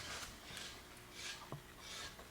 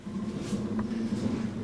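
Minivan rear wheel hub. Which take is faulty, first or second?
second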